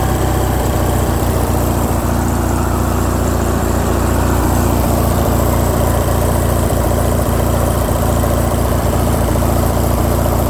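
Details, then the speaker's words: Craftsman lawn tractor, Briggs & Stratton opposed twin, after carburetor repair for surging, choke on, throttle halfway: even, steady low drone at fairly high idle, no surging; fix worked, idle screw may need backing off since revving high. "so that did the trick guys usually it does"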